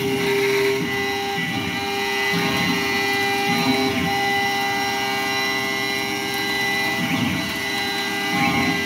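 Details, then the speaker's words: Langmuir MR-1 gantry mill, modified, spindle at 8,000 rpm full-width slotting aluminum at 235 IPM and 0.040" depth: a loud, steady high whine with rough chattering; owner suspects spinning spindle bearings. "Well, if the spindle gets really loud. Uh-oh."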